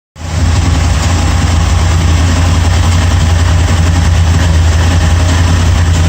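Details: Engine at steady idle: light, loosely regular random tick of roughly three or four a second over the engine drone; source of the tick unclear.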